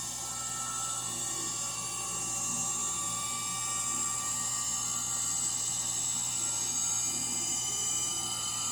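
A thin, steady high-pitched whine rides over the spin hum without letting up, which points to worn motor bearings.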